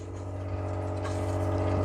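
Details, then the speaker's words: KFLOW under-cabinet reverse osmosis system during its 20-minute initial flush, heard behind then with the cabinet door open: constant low hum with a slight vibrating buzz, louder when opened; normal but noticeable booster pump noise. "The machine is actually behind this cabinet door, and you can hear like a humming, a vibrating noise, and it's definitely noticeable."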